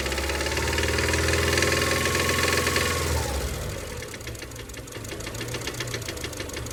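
Steady, even knock about three and a half times a second over the idle, coming from mid-block; sounds like a bottom-end knock. Cause suspected, not confirmed.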